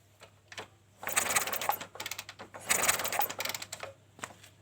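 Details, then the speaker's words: Kawasaki Kaze motorcycle used for hauling goods in mountains, lost ignition: two bursts of busy mechanical cranking that never catch; no spark at the coil. "Oke, teman-teman. Tidak ada percikan api di sini."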